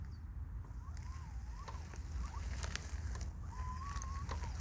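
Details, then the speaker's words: Mobygum Xenon S v2 electric scooter at about 700 km: after riding, a faint, thin electronic whistle or whine rises and falls from the rear hub motor as the scooter is pushed slowly. The owner is unsure it's normal, thinks it's new, and says it causes no problems. "il ya un espèce de bruit de de sifflements électronique de la roue arrière je sais pas si c'est normal j'ai l'impression que j'avais pas ce bruit au début mais ça ne cause aucun problème"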